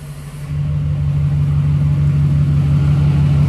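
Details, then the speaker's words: New fully built SoCal Diesel twin-turbo 1,000hp Duramax at first fire-up, after harness re-pinned per SoCal's instructions: strong low drone settling into even steady beat about three pulses per second; much better than previous night; normal idle. "that's way better than it was last night oh yeah it was not doing that last night finally [ __ ] is living"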